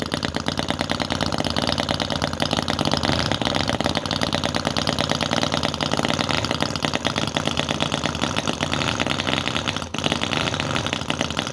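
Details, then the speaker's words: Cison FG-VT9 9cc petrol model V-twin, about a year old: fast, even crackle with a steady beat and no misses. Running smoothly after taking a lot of getting going, until fuel starts running out; normal running. "well there you go folks we have it it's definitely working that took a lot of getting going"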